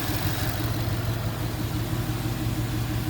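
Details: Ford Mustang GT after bearing replacement for a knock: low, even idle with no tapping or knocking; runs smoothly, while coolant leaks from a cracked radiator.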